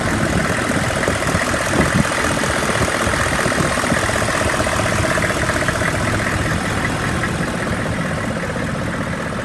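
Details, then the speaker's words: 2002 Hummer H1, 6.5 liter diesel, 33,000 miles, stored about a year, warm after running over an hour without overheating: even diesel idle with light, regular clatter, no uneven beats or knocks; normal diesel idle. "I've had this truck running for well over an hour. It idles smooth, revs up nice."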